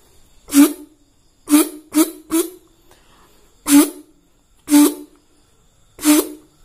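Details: Yamaha RX-King reed valve after bending loose plate back by hand, mouth-blow test with intake sealed: seven short breathy blows, each a clean steady trumpet-like note; reed valve now sealing properly.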